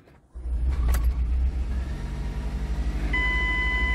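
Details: 2006 Ford Escape Hybrid after sitting about two months, front and rear batteries reconnected after a pull-over-safely code: silence, then a low, even engine rumble picks up and settles, steady beep near end; normal start.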